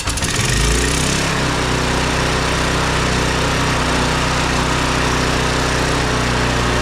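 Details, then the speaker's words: Briggs & Stratton 190cc pressure washer engine, sat in storage for years, after carburetor cleaning: catches after a short crank with auto choke and settles into a steady, even drone with no hunting; runs properly. "well she seems to run pretty good seems to run pretty good now we'll finish putting it Mark together"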